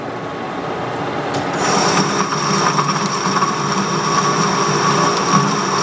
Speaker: now you hear the sound change there so it's a good indicator when you pop through